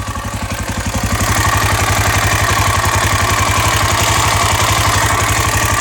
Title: KTM exc 525 first start after engine repair